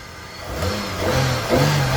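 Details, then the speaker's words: Holden VY Commodore petrol engine started after sitting a few weeks. A few quick throttle blips each settle back smoothly with an even beat and no knocks; it sounds good. "She sounds good. So there we go, guys."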